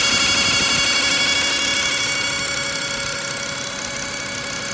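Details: BMW E60 with N52 engine from Copart, warm running: steady high-pitched whine with fast even tick about three per second, loudest at oil filter housing, not pulleys or generator; silent on cold start, louder as it warms; fresh flush oil, old filter; cause unknown.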